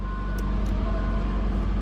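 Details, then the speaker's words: Copart beater car with 161 mileage reading, jump-started as it won't start on its own, cold weather: even low steady rumble at idle, no misses, knocks or ticks; running more or less okay; normal idle. "like it's running more or less okay but only need AC we need a heater can cold as heck outside"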